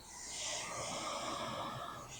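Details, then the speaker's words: Older Sony receiver with right-speaker sound dropout, tuner on AM, mic at speaker: smooth even hiss swelling and fading without crackle or pops; this channel sounds clean, normal tuner hiss, not the problem. "So I have it on the tuner right now on AM. You can hear this."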